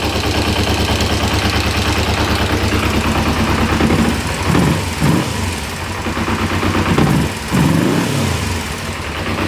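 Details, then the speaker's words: 1994 Kawasaki Ninja 250 (ZZR250), sat for years, at uneven idle: loose, irregular knocking that vanishes when the clutch lever is pulled; clutch basket suspected, not confirmed. "um yeah you feel the clutch in that noise disappears it seems to be coming from the clutch end clutch basket"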